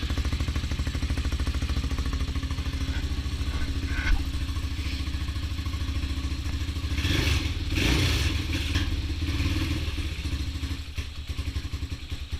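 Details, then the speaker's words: Honda XR200 single-cylinder with new transmission and parts, first run after rebuild, low on fuel: even fast idle, rises on a blip and settles back with no knock; normal running. "I believe we're about out of gas. Yeah, I believe I didn't put a whole lot of gas in there, but sounds pretty good to me."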